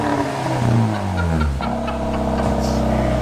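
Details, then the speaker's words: Ford Fiesta with replacement engine after the old one seized, all exhaust boxes deleted by previous owner: loud, raspy exhaust revving up and down smoothly with no knocks or misses; healthy but unsilenced. "but it runs handsomely yeah uh very it sounds like it runs too cuz the exhaust note oh yeah so is uh the previous owner it's quite out there he did a all box delete all box delete now it goes"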